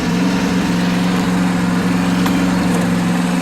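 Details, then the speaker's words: 2023 John Deere S130 riding mower, engine warm; small single-cylinder running steady and even at throttle with no misses or knocks; normal running. "But this one's warm, it should just fire right up."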